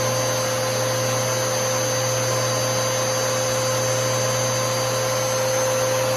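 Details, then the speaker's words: Newer Bissell PowerForce Helix 3313 vacuum: steady, even motor whine with a constant low hum, higher tone yet lower pitch than the older model, no surging, rattles or scraping; healthy motor. "that's what the motor sounds like on the 33113 we'll give it one more run so you can tell the motor the motor differences between these two is um uh there is a difference"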